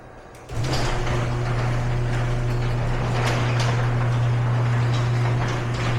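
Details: Garage door before roller replacement: steady low opener drone with an uneven rattle and clatter through the travel; worn rollers with lots of wobble and play rattling in the track.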